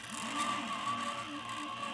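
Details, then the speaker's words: Boosted Board V2 electric skateboard after about 100 km of riding: steady whirring hum with a wavering mid tone and faint rattle; owner suspects the drive belt. "And also I have the belt, I think it's a belt that makes some noise."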